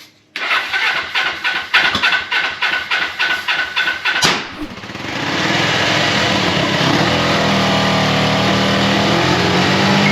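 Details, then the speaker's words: 1980 Suzuki GS450: cranks in quick even pulses, catches, then settles to a fast, steady idle that sits too high because the idle adjustment screw had backed out; readjusted. "I do think that maybe just maybe our throttles a little on the high side"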